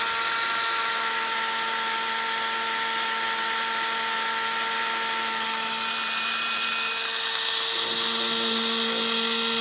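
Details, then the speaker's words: Freshly cleaned and rewired Pfaff 130 sewing machine motor on a bench test, drawing about 1/3 amp. It gives a steady high whine with a faint hiss of slight brush noise. The owner suspects the brushes were not reinstalled in their exact orientation and expects them to bed in. "I noticed that I can hear just a little bit of noise from the brushes there, and that may be because I didn't orient the brushes and put them in exactly the same way."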